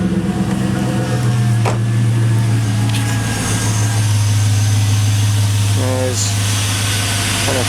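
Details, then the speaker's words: 2001 Chevy Silverado 5.3 Vortec V8 idling on the stock intake, before a Flowmaster Delta Force cold air intake install: a deep, steady, even exhaust idle, mean-sounding when cold, with no knocks or misses. Healthy. "intake what she sounds like over here for the exhaust she sounds absolutely mean especially when she's cold that's just awesome"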